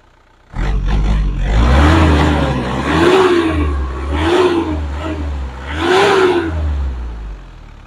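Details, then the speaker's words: 2006 Isuzu Panther LV direct-injection diesel, still warm from a drive, mic close to the engine: four clean throttle blips rising and falling smoothly over a steady clatter, no rough or knocking sounds. Normal, healthy engine. "suara mesin masih bulat, masih seperti ciri khas panternya begitu. Belum ada suara-suara yang kasar yang menandakan ada kerusakan gitu, tidak ada."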